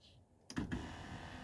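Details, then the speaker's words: 1995 Mercedes E300 (W124) power seat: short, even electric whir starting and stopping cleanly during forward, backward and tilt adjustments; seat motor operating normally. "so here's the seat control we got forward we got backward we've got tilt forward tilt"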